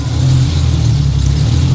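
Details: Roughly 30-year-old BMW E36 M3 Evolution after new Bosch plugs; before, it would barely rev. Deep, steady engine note holding smoothly under throttle without stumbling or popping; revs cleanly and freely.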